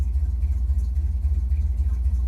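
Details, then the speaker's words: Chevrolet C10 small V8 (owner thinks 283) with new Maxpeedingrods Quadrajet carburetor, at operating temperature: deep rumble with quick even pulses picking up cleanly under throttle; healthy throttle response, owner suspects timing may need adjustment. "so everything seems to be doing pretty good um it seems to take throttle pretty good for what it is"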